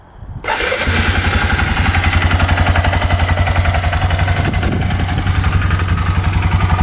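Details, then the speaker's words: Suzuki Eiger 4x4 ATV, bought beat up and fixed: fires up at once and settles into a steady, even single-cylinder idle of about 220 beats a minute, no misses, no smoke; normal start and idle after repair. "All right, so everything on this thing is fixed up. It starts right up, no issues at"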